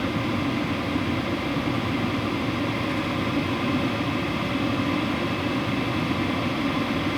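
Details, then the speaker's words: WIPPRO diesel heater at power level 10, running hot: steady even rush of fan and exhaust (possibly upgraded muffler) with no fuel-pump ticking; normal, quiet running. "For the price, super quiet. And that's the issue that most people have with diesel heaters, the ticking noise."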